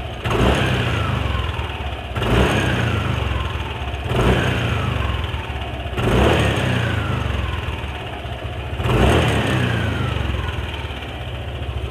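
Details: Yamaha NMAX scooter with a rough noise heard when letting off the throttle: repeated blips every two seconds with a rough clattering as revs fall; loose CVT sliders were found, but the noise stopped when the cam chain tensioner was pressed in further, pointing to a failed tensioner.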